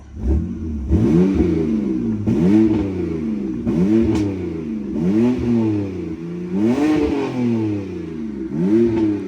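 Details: BMW E90 after VANOS solenoid cleaning and a scan showing no issues, electric throttle; crisp repeated revs climbing and dropping cleanly with no stumble, rattle or hesitation; normal revving.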